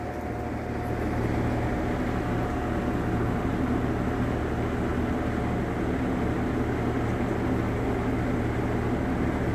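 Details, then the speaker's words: Vintage Sears Homart Cooler belt-drive window fan, 1/6 HP Craftsman motor, dusty, belt likely worn, running on high: steady even low hum with smooth air whoosh, no ticks or rubbing; normal running, much quieter than another fan. "quiet too much quieter than that one in case you haven't seen my other videos of that one there"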